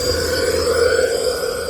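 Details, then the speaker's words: 2015 KTM 500 EXC-F no-start with good spark, leak-down test at 70 psi with the engine stopped. Steady rushing hiss of air dumping out the intake, none from crank or exhaust; the intake valve is stuck open. "But that's enough to tell us that it's definitely leaking off the intake."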